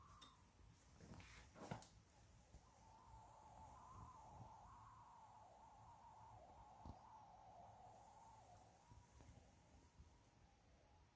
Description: my klipsch icon SB1 soundbar makes a "whooshing" noise. any ideas?